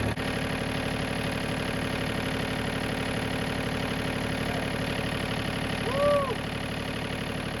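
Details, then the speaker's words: John Deere 3033R diesel tractor after water in the fuel was cleared by flushing the spin-on filter: an even, smooth low thrum with no stumbles; a normal diesel idle, running again. "So, yep, we got her running again."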